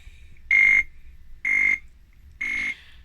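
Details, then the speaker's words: Atari 520STFM at power-on: three evenly spaced high-pitched beeps about one a second, repeating, with keyboard light flashing; still beeps with another keyboard, startup fault cause not yet found. "Okay, so turning the machine on, you can hear that rhythmic beep, and you can also, if you have a look, you can see that keyboard light just flashing away, and that's"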